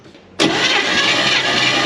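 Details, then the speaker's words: 1957 Chevy Bel Air, likely 283 V8, garage kept since 1976: starter spins engine evenly during compression test, no uneven beats; cylinders reading 150 psi, healthy and balanced compression. "Good. 150. 150. Yep, that's what the last two on the other side were. Wow. Maybe it's a race car."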